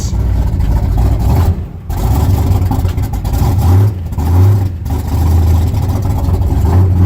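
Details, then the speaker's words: 1966 Ford pickup V8 after replacing bank 1 exhaust header gaskets and retightening loose collector bolts: deep even rumble with throttle blips, no exhaust ticking or puffing; exhaust leaks fixed, normal running. "No more exhaust leaks. Awesome."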